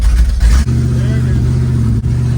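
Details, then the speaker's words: V8 with open header extensions and an MSD box, driving: uneven rumble with brief dropouts and lopsided beats, cutting between six and seven cylinders and back to eight; the distributor is blamed. "But uh this distributor is giving me problems. So it's cut in between like six and seven cylinders and it'll come back to eight. You'll hear it when I drive."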